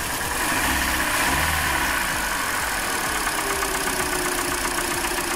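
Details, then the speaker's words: Hyundai Elantra 1.8 engine, 69k miles, idle with cylinder three disconnected: uneven idle with a light knock near four beats per second that eases slightly; owner suspects piston slap, not confirmed. "Okay, it's still knocking, but it's knocking a little bit less now."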